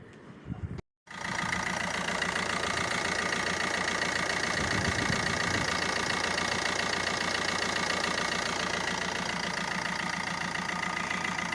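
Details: Opel Astra H 1.3 diesel idling with its usual light rhythmic clatter after replacing a leaking, humming water pump that had play and lasted 4 years; replacement successful.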